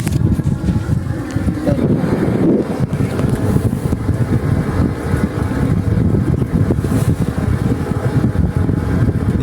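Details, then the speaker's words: Diesel irrigation water pump in a rice field, engine off, exhaust broken off; deep uneven rumble and churning carries on steadily from the water discharge pipe, traced to a leak underneath where the pipe is leaking. "Ada yang bocor ini. Itu pipanya ada yang bocor."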